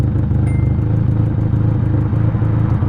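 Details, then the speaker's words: Ford Ka idles with a loud low rumble that rises and falls slightly after the fuel pressure regulator was replaced and a cracked injector part found; idle hunting a little, throttle cable about to be adjusted to lower the idle. "so if you take a look at the idle the idle as is that a constant idle it moves up and down a little bit"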